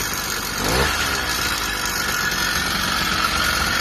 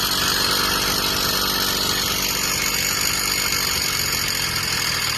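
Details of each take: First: Newly built motorized-bicycle kit two-stroke on a 16:1 break-in fuel mix, first start: steady, raspy note holding even speed after a brief rev; runs fine, though owner says the idle needs adjusting down. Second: Freshly self-built two-stroke motorized bicycle, just started: a fast, buzzy idle holding a raised pitch instead of settling low. The idle is set too high and is being adjusted down.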